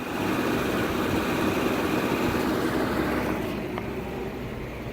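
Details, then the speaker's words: Volvo 240 cold start after 15 years sitting in a field, bad pink-label ECU swapped for used white-label ECU, foot slightly on gas: fired after intense cranking, even steady low rumble easing slightly at end, no knocks or misses; healthy idle. "here she goes, running like a champ. I got my foot on the gas pedal a little bit there, but put the new ECU in with the white label, not the pink label, and she fired right up after some intense cranking. She sounds like she's purring."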